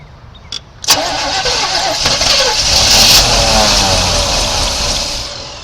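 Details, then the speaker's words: 1986 Chevy C10 Silverado abandoned 15 years, first start on fresh gas: catches and runs rough and lumpy, uneven beat, seemingly on about three cylinders; misfire. "well it's trying to run on like three cylinders get it good and flooded hopefully it'll choke itself"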